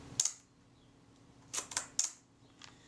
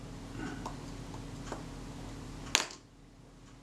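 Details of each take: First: Leaf shutter from a serviced camera, reassembled with the speed cam plate, fired at 1/8 and 1/15 s: crisp, clipped snaps that sound fast. The tester confirmed about half a stop fast, so the speed gear train needs moving. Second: Shutter of a serviced camera after readjustment to fix running too fast: crisp, even single clicks over a faint room hum. The tester showed the speed exactly right.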